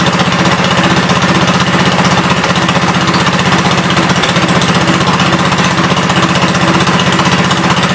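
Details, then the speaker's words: 1972 Gravely 430 single-cylinder engine running normally after fuel system restored up to the carburetor (small drip at fuel pump inlet): even, steady thumping about three beats a second, no knocks or rattles; high-low axle works, moves forwards and backwards. "That's good. Sounds good. No big noises or anything. It'll move forwards and backwards."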